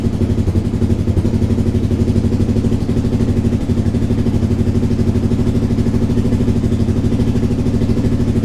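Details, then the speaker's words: Suzuki SV twin during restoration, first start after rebuilding the timing with correct cam timing and an exhaust leak repair attempt: even, steady low exhaust pulses with no misses or clatter, a proper twin sound; starts instantly, but an exhaust leak remains at the top. "Bon, déjà là le son ça n'a plus rien à voir. Là ça fait vraiment un son de bicylindre."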